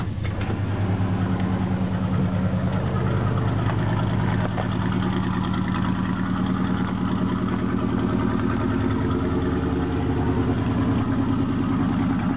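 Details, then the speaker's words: 1977 Chevy K10 carbureted 4bbl 350 V8, cold start at 8°F, idling under a minute with low oil pressure, cheap Thrush mufflers: loose chuffing exhaust beat with occasional pop; exhaust leak on one side, owner suspects a slight single-cylinder miss. "I have an exhaust leak on this side and it might miss a little on one cylinder you can hear the random pop every once in a while this side sounds good"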